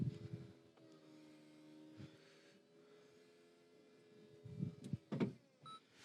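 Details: Nearly 19-year-old Saab convertible: quiet steady electric motor hum as the top travels, then soft latching clunks at the end; the roof mechanism works fine.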